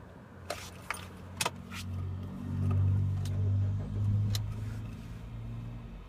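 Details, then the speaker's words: 2004 Toyota Altis 1.6 L, 370,000+ km, after top-end overhaul (valve seats, guides) and cleaned throttle body and idle motor, AC off: engine catches, revs rise to about 1,200 rpm then settle to steady 900 rpm idle; normal cold start and idle. "ครับครับนี่ติดเครื่องขึ้นมานะครับเครื่องก็จะมีการโช้คขึ้นไปถึงประมาณ1,2001,200รอบแล้วก็อ่าลงมาเหลือประมาณ900รอบนะครับ"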